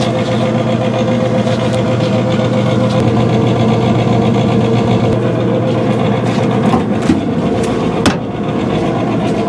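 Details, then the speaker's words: 2017 Central Boiler Classic Edge 550 outdoor wood boiler draft blower/combustion fan: steady loud hum with rough uneven rattle and sharp ticks; cleaning last week didn't help, worn blower needing replacement. "But if you can hear this, it's just not making the right sound. I did pull it off last week and try to clean it, but it didn't seem to do the trick."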